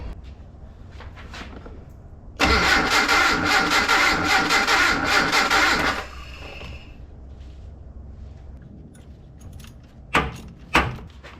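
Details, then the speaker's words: Datsun 720 King Cab 4x4 that sat 20 years and had no spark, after the distributor timing was swung around: it catches immediately and runs hard for about 3.5 seconds, then dies, with timing probably set too far advanced. "All right, now it's probably way too advanced, but it fired right off."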